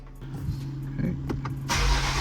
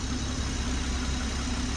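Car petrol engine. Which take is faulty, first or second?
first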